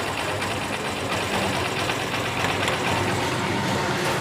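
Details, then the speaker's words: Honda Shine BS3 motorcycle at idle after a recently replaced timing chain: busy idle with a faint, uneven metallic tang-tang rattle as revs drop, worse when overheated; traced to a weak timing chain tensioner. "এই যে রেসটা যখন slow হচ্ছে, একটা ট্যাং ট্যাং ট্যাং ট্যাং হালকা হালকা আওয়াজ"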